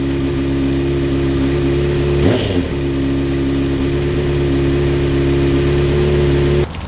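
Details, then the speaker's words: 2004 Honda CBR600RR after installing a custom catless full-system header, first start after two weeks sitting in cold weather: even, steady idle with one sharp throttle blip; deeper note, much louder at higher RPM; normal exhaust, no leaks. "So as you're gonna notice, the main difference was just a little bit deeper now, a lot louder at higher RPMs."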